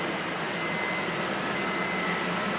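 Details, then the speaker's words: K20-swapped Honda Jazz/Fit, electric radiator cooling fan with ignition on, after running a wire to the fan switch and correcting reversed fan wiring: even steady whoosh with faint high hum, no rattle or scrape; fan running normally. "there is the fan switch so we've had to run a wire to that fan switch and then also check that the fun wiring was the right way around which it wasn't"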